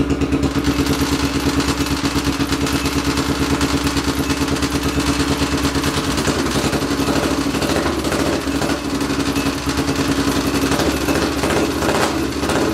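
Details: 800cc lawn pulling tractor engine, first test run in neutral with clutch pushed in, air box and half carb covers fitted; steady regular firing pulses in a deep, even rumble, no stumbles or misfires; sounds much better, normal running.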